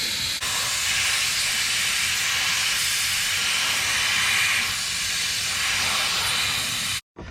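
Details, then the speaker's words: C6 Corvette nitrous system test: loud steady high hiss about seven seconds then cut off, nitrous leaking at a fitting, possibly the bottle pressure sensor fitting; owners plan to bypass the sensor if it is the problem. "this is this is was like a a different fitting for this sensor so we're trying to see if that's the problem if if it is we'll just bypass that"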